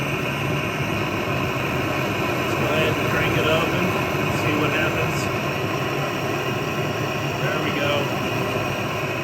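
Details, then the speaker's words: Vintage Otto Bernz blowtorch with valve cranked fully open: loud steady jet-engine-like rushing roar, no sputter or pulsing; burning hard and clean at full valve. "It's like a jet engine taking off. Look at that."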